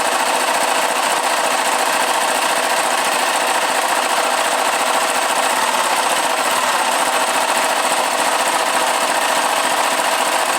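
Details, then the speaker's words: Kasinski KSZ motorcycle (about 2002–2003), clutch and gearbox side disconnected to isolate the noise: fast, harsh rattling rumble of three to four beats a second from a worn crankshaft main bearing; the bearing also rumbles when turned by hand and must be removed. "aí olha só como ela já ronca aí nós vamos ter que abrir tá porque esse rolamento aqui tem que tirar para lá mesmo"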